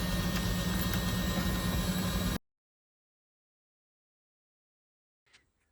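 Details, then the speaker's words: 1979 Alfa Romeo GTV being readied for first start, oil pressure just established; loud steady whirring crank with regular beat near four per second keeps running with key off, then cuts dead: starter stays engaged with ignition off. "oh this is not good I have the key off and it's still"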